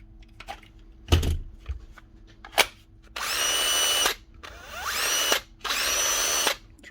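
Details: Cordless drill: three clean bursts of even high-pitched motor whir, each about a second, starting and stopping crisply; the drill runs properly.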